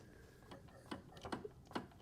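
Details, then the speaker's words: 2002 Honda CRF450R, bought non-running, engine turned slowly by hand: few sharp irregular ticks; owner suspects something on the clutch side, unconfirmed. "But I hear something kind of behind the clutch, I think. I don't know."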